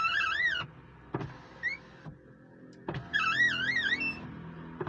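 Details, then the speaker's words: Car power window makes sharp wavering chirps over the motor whir each time the glass goes up and down; squeak from a dirty, dry glass channel, fixed with silicon spray. "अगर power window उतार चढ़ाव के समय बहुत खराब है। एक आवाज आ रही है। जैसे चहचहाना।"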